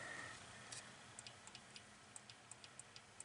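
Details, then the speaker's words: Underhood X50A engine wiring harness junction block from 2017 GM Denali pickup, removed for wipers not working, bench-powered with relay coil grounded at connector X2 pin F2: very faint light relay ticks about twice a second; unknown which relay. "can barely barely barely hear that relay so let me see if I can pick this up again I have no idea which relay that is"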